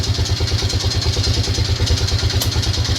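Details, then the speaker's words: Lawn tractor engine just started after carburetor boot replacement, idling cold before warm-up; steady idle with regular deep knock about three per second low in the engine, cause unknown, engine previously apart; engine knock. "it's got a a noise down in the engine and see if we can start it"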